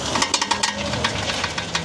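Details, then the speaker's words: Car turning left: quick run of sharp metallic "clac clac" clicks, several per second, then sparser; worn outer CV joint (homocinetic axle) bad inside though boot not torn. "Suena clac clac clac clac clac clac. Quédate en este video, te voy a decir cuál es la falla."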